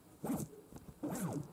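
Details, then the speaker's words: New brushless quadcopter motor (Eachine 2306 1650KV or Racerstar 2205 2300KV), hand-spun, compared with a dust-damaged bearing motor; smooth whir dying away cleanly with no grit or rattle; healthy bearings. "listen to this one the bearings of this one are damaged I think by dust okay and that's a new motor that sounds totally different"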